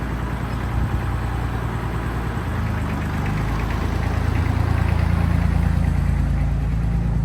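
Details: Tractor diesel after belt work, warmed to normal operating temperature: even, rhythmic clatter at about three beats a second, steady without misses or knocks; normal idle.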